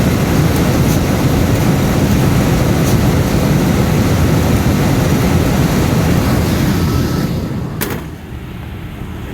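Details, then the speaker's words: Cambridge direct-fired makeup air unit that had locked out on airflow, now with airflow restored although the damper is not closing. Steady heavy roar of flame and fan holds without cutting out, easing near the end; burner firing normally. "it's got air flow now so it's going to keep running let it run for a minute and see"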